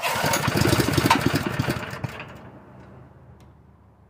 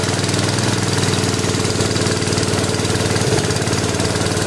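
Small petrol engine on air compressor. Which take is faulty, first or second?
second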